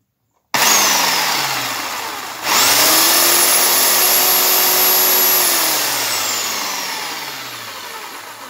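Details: Makita belt sander reassembled with all new bearings and gears, belt fitted, tracking test: motor spins up to a steady high whine, holds even without rubbing or slapping, coasts down smoothly; runs normally.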